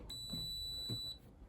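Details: Indesit condenser tumble dryer (IDCE8450), a street find, switched on with a one-hour timed cycle: one steady high electronic beep lasting about a second. This is the alarm tone, which the owner takes to mean the motor is turning.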